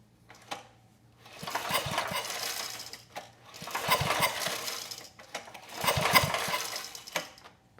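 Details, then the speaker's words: 1987 VoltMaster 4000 W generator with an 8 hp Briggs & Stratton flathead, about 34 years old, hand-pulled three times: a quick even chatter with no firm compression bump; a hung-up valve is suspected. "Most likely a valve is hung up, and probably the easiest way to figure out which one is to put your hand either over the exhaust or over the intake and see which one is enclosing."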